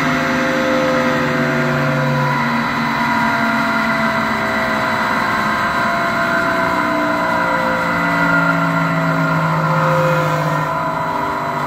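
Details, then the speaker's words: AAON rooftop unit, about 14 months old: 1 HP 460 V three-phase Baldor fan motor on a VFD. Steady drone with a rough, wavering growl and shifting tones from worn motor bearings. "it was sounding about like a Goodman before with the bad bearings now it's sounding like how an ion is supposed to sound"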